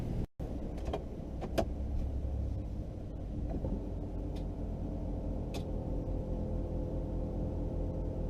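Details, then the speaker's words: Compressor kicks in when the truck is put in gear, raising the air suspension; low steady motor drone under the vehicle hum with no rattle, squeal or strain, normal air suspension compressor operation. "you hear the air compressor kicking in and when you put it in gear as it raises the air suspension"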